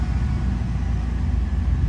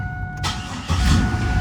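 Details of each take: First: Camaro with replaced used engine, 95,055 miles, starts instantly: even, low rumbling idle sitting a bit fast; owner suspects a bad idle air control valve, not confirmed. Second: 1998 Camaro V6 with replacement used engine, 95,055 miles: short crank then fires instantly and idles steady but a little high, owner suspects bad idle air control valve; normal quick start.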